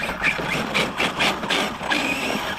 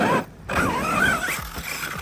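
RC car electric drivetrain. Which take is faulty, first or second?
first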